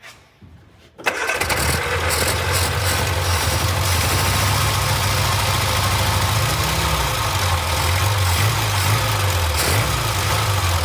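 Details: Barn-find Austin-Healey Sprite, 60-year-old fuel pump replaced with a new one: catches after a second and settles into a steady, even run with gentle throttle blips, no stumble or misfire; normal running.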